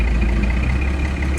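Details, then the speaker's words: 1992 Dodge D350 car hauler/project truck on test drive the day after a new clutch and junkyard Getrag 360 manual transmission install, slave cylinder still leaking; deep steady drone while rolling, no grinding, whine or clunk, gearbox sounds healthy. "So far it seems to be pretty good. I don't hear no grinding or anything."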